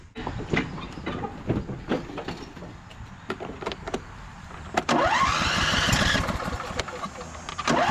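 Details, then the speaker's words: Husqvarna YTH2242 lawn tractor, Briggs V-twin, belt tension loosened: cranks then runs lumpy and loping, really down on power, firing on one cylinder from a bent push rod. "It's really down on power. Transmission feels pretty good. But yeah, you could tell engine is not running right."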